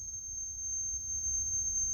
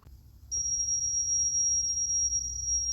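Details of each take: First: Sony K611S cassette deck after speed adjustment, reading 6.375. A steady high test tone holds its pitch without wavering or flutter. Tape speed correct and stable. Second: Sony K611S cassette deck playing a test tape: steady high test tone sits flat, near 5.6 kHz instead of 6.3 kHz; tape running slow, motor speed needs adjusting.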